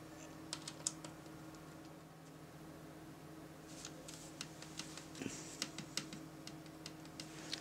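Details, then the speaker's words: MacBook Pro trackpad after adjusting the T6 screw under the battery: crisp clicks now on both sides, slightly stronger on the left; normal click restored. "okay so now now I can hear it clicking and clicking admittedly it is stronger on the left but let's face it if they both work I'll be more than happy"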